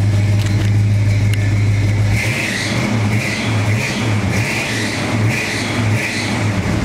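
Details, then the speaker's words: 1969 Pontiac GTO Convertible 400 V8, automatic, deep even burble swelling and settling with revs; healthy exhaust note, runs great, though a slight exhaust leak on one side is suspected. "Exhaust sounds nice. Car runs great."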